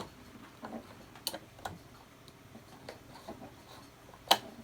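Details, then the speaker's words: Sewing machine during maintenance, bobbin case holder refitted and hand crank turned back and forth slowly: faint irregular light clicks as the bobbin case clicks home; correctly seated. "there hear it click i'm i i am going back and forth with my uh hand crank and then you hear it clicking"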